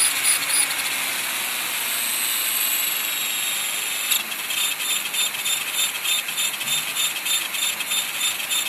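High motor and rotor whine begins beating at about three and a half pulses a second once it lifts; this points to vibration in hover.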